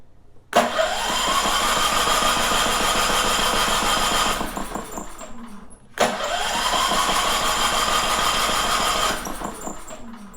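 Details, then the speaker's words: Champion 3400 dual-fuel generator, about two years old, sat almost a year, on gasoline with choke out and electric start: cranks about four strokes a second, twice, never fires. It starts on propane; old gummy gas in the carburetor is suspected. "so it just does that over and over I don't want to kill the battery to keep on doing that"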